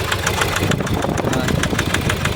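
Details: 2019 Nissan Terra automatic diesel: rough idle with a sharp, regular knock about six times a second and misfire, no power, stalling; from water-contaminated fuel and bad injectors.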